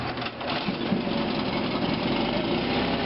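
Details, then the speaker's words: Honda BF75s 7.5 hp four-stroke short-shaft outboard with portable fuel tank, just started on the first pull: quiet, soft, even purr about four pulses a second, no knocking or rattles, before being slid into gear; normal idle. "hardly hear it go ahead and slide it into gear"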